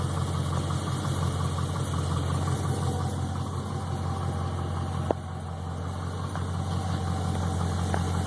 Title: TBSS piston slap